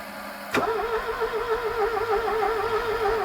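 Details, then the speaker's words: Porsche 924 that sat about 30 years, click then steady wavering starter whirr that never catches, spark now restored via bridged wiring; owner suspects seized injectors. "all right so I've just pulled this injector out of here and I think that's why it's not running my hand behind it they're completely seized up in there"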